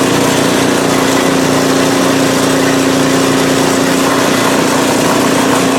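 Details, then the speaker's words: PowerSmart 24-inch snowblower, first start of 2021 after sitting without fuel since 2018: small engine holds a steady, even hum at constant speed, no misses or surging; running smoothly, normal. "so so she's a runner awesome i don't look forward to using it but hey it just is"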